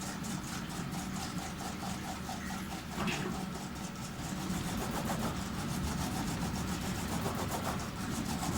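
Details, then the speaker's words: Panasonic NA-FS14G3 EcoNavi top-loader washer after drain valve replacement, on spin: drum whooshes, speeding up and easing off as the clutch disengages to balance wobble; normal operation. "it's working it's speeding up the wobbling a bit more than its disengaging letting it speed up a bit more disengaging right"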